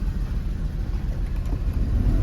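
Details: Jeep WJ 4.0 shaking and not accelerating, with engine, ABS and other dash lights on and code P0351 (coil primary/secondary failed); a deep, uneven, lumpy idle. The cylinder 1 plug shows no firing, a misfire addressed by replacing the coil and plugs.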